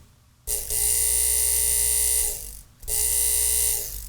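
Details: 1950s ATR mechanical power inverter (6 VDC to 110 VAC), vibrator after repair, contacts sparking as they switch: loud, harsh, steady buzz in two even runs with a faint high whistle on top; switching evenly, working properly.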